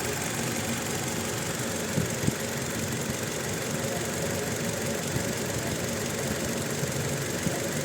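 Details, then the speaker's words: Toyota Innova petrol misfiring at idle and when revved, with no check engine light and no DTCs: rough, uneven idle with irregular stumbles. Coil waveform test shows cylinder two voltage jumping to 0 kV with spikes, a faulty ignition coil on cylinder two. "इसमें miss firing हो रही है यह पूरी मैं race कर miss firing हो रही है और चेक इंजन में नहीं आ रही है"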